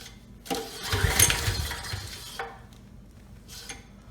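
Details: Briggs and Stratton Storm Responder generator before repair, ignition, choke and fuel on: several recoil pulls spin it briefly but it never catches; untreated gas left in the tank clogged the carburetor main jet and rusted the tank.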